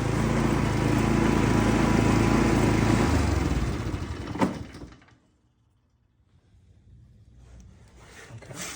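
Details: Exmark 30-inch commercial mower engine after tightening loose engine mounting bolts with lock washers added: steady even beat for three seconds, then shuts down and falls quiet; sounds sound and settled, normal running.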